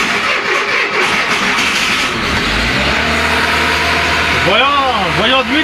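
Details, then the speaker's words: Renault Trafic with scrapyard C1J engine (15 years unused in description), ignition timing shifted for ethanol, not yet fully adjusted: catches straight away and settles into a steady, even fast idle at 1500 rpm, all cylinders firing cleanly. "là tu entends qu'il tombe bien et on est à 1500 tours minute on est à 1500 tours minute là actuellement"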